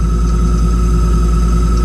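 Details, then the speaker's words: Heil gas furnace on a no-heat call, firing up: constant high squeal at one pitch over a steady motor hum from the exhaust inducer fan motor, not the blower. "Hear it squealing? That's not the blower. That's the inducer."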